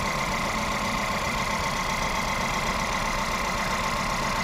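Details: Volkswagen Polo/Vento with code P030100, a cylinder 1 misfire, that misfires at 50–70 km/h with the engine and EPC lights on; uneven lumpy idle with a recurring stumble in the exhaust pulse; the cylinder 1 injector wire has no pulse while the plug lead carries current.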